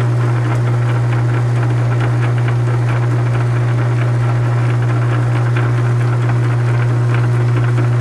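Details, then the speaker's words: South Bend 9 inch lathe, backgear with two broken teeth repaired, under load during aluminum test cut: faint click once per turn over low motor hum at repaired tooth, not slipping; adjustment may cure — backgear repair tooth click. "is the load that will flick that you're coming around that's right where that repair is you can probably get that out of there just by adjusting a little bit but it is working is not slipping"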